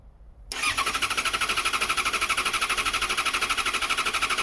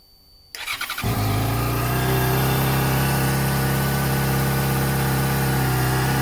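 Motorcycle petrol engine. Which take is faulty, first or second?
first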